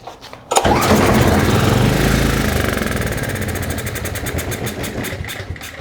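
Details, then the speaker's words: Trash-picked 2005 Craftsman 5600-watt generator, 10 HP Briggs & Stratton 204412-0147-E1: on starting fluid sprayed into the intake after the air cleaner is removed, the engine catches and runs roughly a few seconds, then dies. The engine itself is good and the carburetor is at fault. "So we have a good motor."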